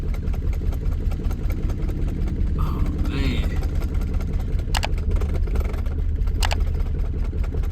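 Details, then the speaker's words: BMW 328i starting after battery replacement for no-crank no-start, with old fuel: uneven, lumpy low rumble with irregular beat; rough running, something burning, owner suspects old gas and oil and needs a tune-up. "man running rough but get getting there something burning little bit might old oil"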